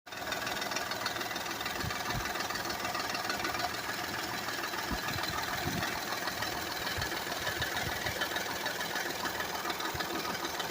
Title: Rattling noise on 2008 Honda Accord Ex V6